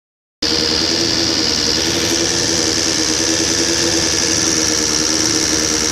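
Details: 1999 Suzuki SRAD 750 just rebuilt with high-compression 600 head, valves adjusted: fast, light, uneven ticking over a steady buzzy idle; owner suspects cam chain tensioner. Engine ticking noise.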